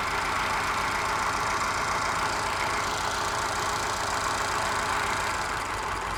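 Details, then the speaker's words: Moke engine bench-tested on a stand, compression tested excellent and no smoke: idle with a stumbling beat, a pulse skipped every few firings; missing on one cylinder, owner suspects carby mixture, valve ruled out by compression. "I've got a miss on one cylinder. I'll see if I can find out which one it is."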